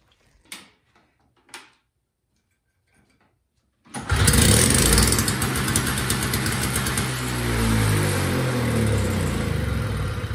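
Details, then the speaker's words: Repaired two-stroke single-stage snowblower, restarted after sitting a day: a couple of quiet pulls, then it catches at once and settles into a steady, even buzz. A normal second-day start means it's ready to go. "When it starts the second day and no problems, then I know it's ready to go."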